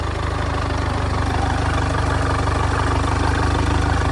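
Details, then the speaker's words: Front-end-damaged 2014 Audi A3 saloon diesel bought as a non-runner; the no-start was traced to a hanging starter motor connection: once started, even steady diesel idle clatter with firm low rumble, no misses or knocks; normal idle. "and it sounds good as well."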